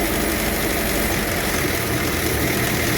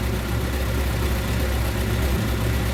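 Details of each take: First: 1954 Ford Popular 103E, warm, with the choke pushed in: steady even idle with a low throb and no misses or knocks; runs smoothly. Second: 1954 Ford Popular 103E; low uneven idle wavering and dipping then stalling for no reason; battery 7.4–7.6 V while charging, voltage at coil jumping around, vacuum leak also wondered about; fuel bowl next to check: cause unconfirmed.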